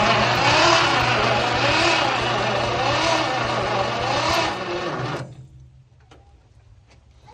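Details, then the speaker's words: 1951 Packard straight-8, 6-volt car on a 12-volt battery, unrun 30+ years, after fixing grounded points wire: even chug about 160 beats a minute for five seconds, never catches. "So I got it all back together, but now it is still not wanting to fire."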